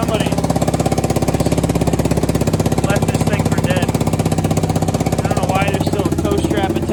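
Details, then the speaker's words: Kawasaki Brute Force 750 V-twin ATV, neglected unit, warming up on choke before oil change, oil checked; fast uneven puffing tick about three per second over idle from a bad exhaust leak. "I already checked the oil. It's right above the bottom of the safe zone choke. That nasty, nasty exhaust leak."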